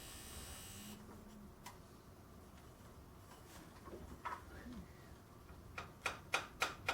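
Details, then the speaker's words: 1987 Firebird Trans Am fuel injector pulsed by an injector driver during fuel-system-cleaner cleaning, freed by tapping its side: sharp even clicks about three per second. Stuck injector freed and now clicking. "he uses the tap the side of the injector and I got it to open up"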